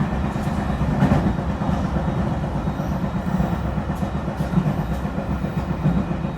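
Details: E721 series train running between Nagamachi and Taishidō: rapid repeating thump under steady rolling rumble, severe noise from beneath the floor, a wheel flat.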